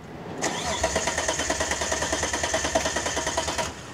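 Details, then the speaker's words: 1991 Dodge Stealth RT: starter cranks at an even three beats a second for about three seconds but the engine never catches or fires; crank, no-start. "okay so we're gonna start out to stealth and it won't even start"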